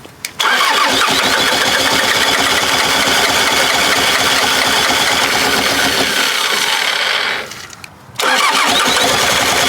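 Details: Bobcat 763 skid steer diesel, sat about a year after running out of fuel, suspected water and rust in fuel system, fitting leaking: steady fast cranking that never fires; long cranking, no start.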